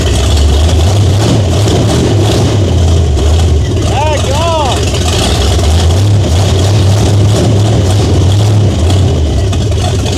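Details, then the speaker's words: 1978 Chevy Nova, car sat for 21 years, open exhaust manifolds: heavy, thumping, uneven loping idle with a brief chirp, loud enough to shake the floor. Owner suspects a non-stock camshaft. No knock, tick or bang heard. "Because yes, it has open manifolds, but at the same time, that thing's hitting a daggone lick and a half."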